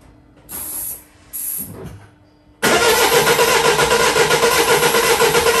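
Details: 2008 Mini Clubman R55 1.6 diesel W40D16, parked two years, crank no start: two short bursts then steady even cranking about four turns a second, never catches; no fuel rail pressure, even with Easy Start; suspected faulty fuel pump.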